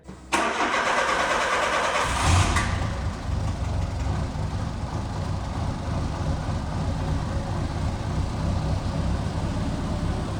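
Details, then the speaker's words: Peugeot 309 cranked, started and idling loud, raspy and uneven from an exhaust leak at the flex pipe, made worse because the clamp is tightened only on the braided section. "C'est un coup en fait le collier vu qu'il est mal enfin il est serré que sur la tresse, c'est un coup ça fait encore plus de bruit vu qu'il y a une plus grosse fuite d'échappement."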